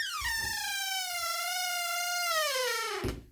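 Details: Squeaky dry door hinge between master bathroom and bedroom: a long squeal sliding slowly down in pitch for about three seconds as the door swings open, before lubricating with food-grade vegetable cooking oil spray.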